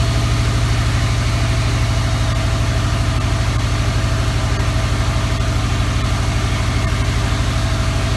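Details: 2003 Subaru WRX idling after the AC belt tensioner pulley/bracket was replaced and the belt tightened; the belt had squeaked with the AC on after a regas. Steady, even idle with a deep smooth rumble and no belt chirp or squeal: normal idle.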